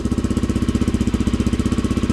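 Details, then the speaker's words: 1987 Honda XL250R RFVC single, barn find that sat for years, started first kick, slightly warmed but still cold. Even, steady single-cylinder thump at idle with a quiet top end and no ticking. The engine idles healthy. "the engine's so quiet normally they're a lot noisier sounds great listen to that"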